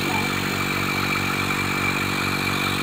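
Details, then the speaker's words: Single-stage 3 CFM vacuum pump used for valve seat leak testing, inlet open: motor hum with rapid, uneven gurgling, bubbling pulse and airy hiss; pulling air straight through with no vacuum, bubbling stops when inlet is closed. "okay so let's see what these pumps do you hear that noise the but it sounds like it's bubbling"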